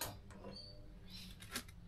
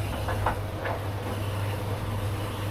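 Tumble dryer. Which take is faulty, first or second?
first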